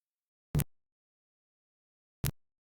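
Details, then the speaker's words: Panel telephone switch: district selector hunts for trunk group, one revertive click per group passed, sender counting to five as decoder instructed; short dull clicks in silence, normal stepping. "As it does that, we're going to hear five more clicks, [click x5] one for each group that the selector passes over. The sender hears those clicks, too, and for each one, it counts to five."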